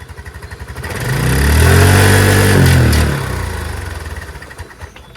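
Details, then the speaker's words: Chinese TNG Verona 150cc scooter, first start without a carb clean, once the fuel bowl fills: the single cylinder putters evenly, swells with a throttle blip, and idles steadily and well. "Fellas, it's running! And it's idling beautifully."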